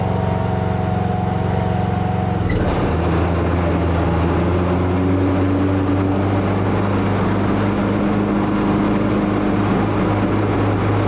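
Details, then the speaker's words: Craftsman T110 riding mower after tune-up (oil, plug, air filter, blades), blades engaged: engine drone carries an extra steady humming noise over the deck; a worn spindle or idler bearing is suspected. "i'm pretty sure y'all can hear that extra noise there that sounds like one of these bearings has gone either the spindles themselves or one of the idler bearings i don't know"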